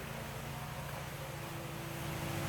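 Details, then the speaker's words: 1985 Jeep CJ8 Scrambler, steel-body original, rebuilt 4.2 L inline six with few miles since rebuild, started up and idling: steady low hum, even firing, no knocks or ticks; smooth healthy normal idle. "Nice smooth running vehicle too. Get around to the other side, we'll fire it up."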